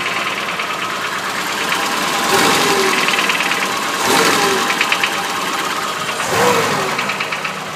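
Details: BMW 2002 M10 engine, nearly all new parts (pistons, bearings), at idle only: irregular dull bottom-end knock about three per second, swelling in bursts; not valves, teardown found excessive crankshaft axial end play, pistons and rods tight.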